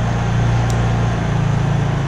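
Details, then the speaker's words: Honda EU3000is inverter generator idling in eco mode at light load with the mic right next to it: smooth, steady low hum at a constant pitch with no surging or knocking; normal idle. "and as you can see we're right next to it this is pretty much how it runs the whole time we're up at the cabin just burn away like that"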